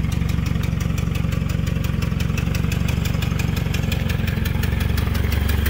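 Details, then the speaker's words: Nissan Silvia FJ20ET turbo four at idle: crisp sharp ticking puff with each firing pulse, about four a second; exhaust blowing onto hand from a big warp in the manifold; replacement manifold pending. "i love it a whole lot more when this thing's not sounding like that oh yeah it's blowing right onto my hand it's a fat warp in it"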